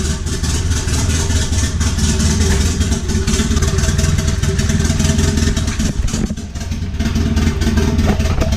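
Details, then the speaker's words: Rough, stumbling revving with clatter through the range from a melted piston/ring after a full-throttle drift. Spark plug wire first suspected; extreme blow-by at dipstick and oil cap points to one cylinder with low compression, likely misfiring. "I thought it might be a spark plug wire that came off or something but then I pulled the dipstick and there's an extreme amount of blow by coming out"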